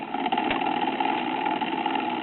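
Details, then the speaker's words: 40+ year old A71 talking book record player for the blind (8/16/33 RPM), before overhaul: a steady mechanical drone with a rough, scratchy edge from a dry platter bearing badly needing lubrication. "platter bearing needs some lubrication in the worst kind of way."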